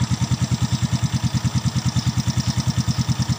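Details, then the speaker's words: Suzuki Smash FI single-cylinder motorcycle after 3 years of use, standard 800 ml SGO oil: steady even putter about three beats a second, no knocking or rattles; exhaust plate slightly loose; normal idle. "tidak ada masalah. Bunyinya masih halus, mesinnya tidak ada bunyi klotok-klotok."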